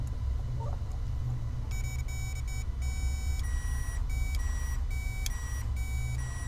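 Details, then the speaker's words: Lexus GS400 drive-by-wire throttle body bench-tested by grounding clutch and motor: short clean electric whine bursts with throttle moving, no grinding; actuator works, PCM not sending signal to motor and clutch. "the motor now we both engage them together you're gonna have the actual throttle moving up and down there you go you see the throttle movie so that verified that this was working"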